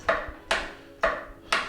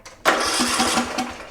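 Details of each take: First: Murray Select riding lawn tractor (similar to Craftsman/MTD) will not start when the key is turned: sharp single clicks about twice a second with no cranking, caused by a failed starter solenoid that needs replacing. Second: Murray Select riding mower (similar to MTD/Craftsman) after starter solenoid replacement: quick crank and the engine catches right away, settling into a steady small-engine run; starting system now working properly.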